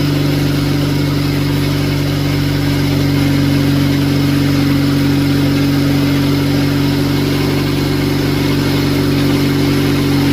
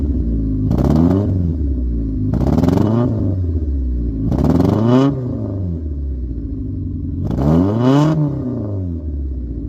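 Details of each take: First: Cheap Honda Civic at exhaust after servicing fuel injectors to cure low-rev flutter: even, steady smooth idle with no flutter or stumble; engine running cleanly. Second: Cheap Honda Civic with the microphone at the exhaust, several throttle blips: the exhaust flutters and sputters low in the revs, then smooths out higher up. Spark plugs and distributor were already addressed; the owner suspects the fuel injectors or fuel filter.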